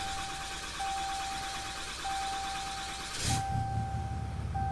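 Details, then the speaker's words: Ram 3500 diesel, just after fuel filter replacement with the lift pump cycled five times to prime: dash chime pings about every second, then the engine catches on the first crank and settles into a steady, even idle; normal start. "yeah there she goes so now we'll let it run for a little bit and uh make sure everything's good"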